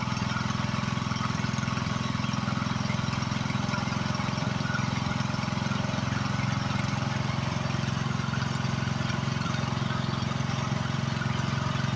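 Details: Free Husqvarna YHT20k46 hydrostatic riding mower, hood closed, after its blown Kohler Courage engine was swapped for another motor, runs with a smooth, even low thrum and no misses or knocks; it runs good.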